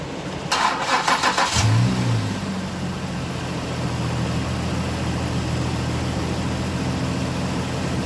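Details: Engine started right after the oil drain plug was replaced: about a second of cranking, it catches with a quick rev, then settles into a steady, even idle; runs fine.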